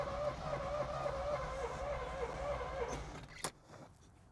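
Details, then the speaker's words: 1986 Chevy Corvette C4 project car, cranking on starter fluid in intake; steady starter whirr then one sharp backfire pop and silence. Combustion present but no fuel; owner suspects fuel pump fault. "Okay, no point in keep trying. I know there's combustion. It just it needs fuel, so I don't need to hear it running. Uh I'm just going to start tackling the fuel pump issue."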